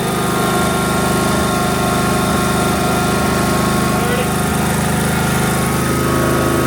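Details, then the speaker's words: Snapper mower with newly fitted digital tachometer, still leaking oil, idle about 1400 rpm: steady even high drone at full throttle, no surging; no longer over-revving as before, sounds like it used to. "So it sounds like it used to."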